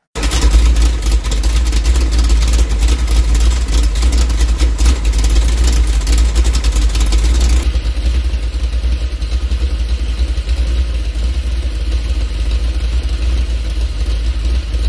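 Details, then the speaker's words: 406 small-block Chevy with Summit 1203 cam idling at identical rpm with no vacuum advance: choppy, lopey idle on Delco lifters, then smoother and quieter on Rhoads lifters, with vacuum rising from 11 in to just over 15 in. "exact same RPM even though it sounds like a completely different engine the only thing we changed there was the lifters"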